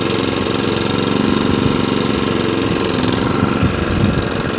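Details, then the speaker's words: Qualcast 35S cylinder mower with Kawasaki engine, run on choke then off choke with some throttle: small engine chugs unevenly and hunts, running after a fashion but not revving up and down as it should; needs fine tuning, while drive and cylinder do not turn. "the engine runs to a fashion it doesn't rev up and down as it should do it's a bit of a fine tune but we can sort that later on"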